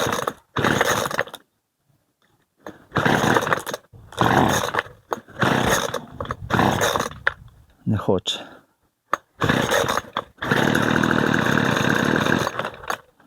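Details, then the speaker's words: McCulloch 250 LS petrol brushcutter that won't start: on choke several ragged bursts with dead gaps, then a brief rough buzzing run before stalling; runs only on choke, mechanic suspects the carburetor needs cleaning. "на підсосі завелась щось трошки і все на підсосі щось трошки запускається"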